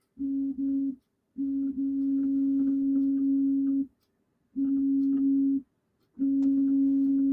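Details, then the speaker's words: Returned SainSmart Infi-20 belt 3D printer after opening it and fixing the loose Y-axis belt: clean steady stepper hum in four even moves, no skipping or grinding; printer working, X axis works too. "So the printer's working. The x-axis works as well."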